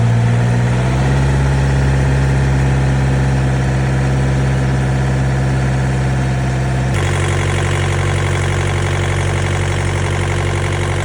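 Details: Refrigeration-unit (reefer) diesel engine on a trailer at a truck stop, idling evenly with a low steady drone and one small settle in speed, no misses or stalling, after the reefer had quit; only a little dirt found, and the cause remains uncertain.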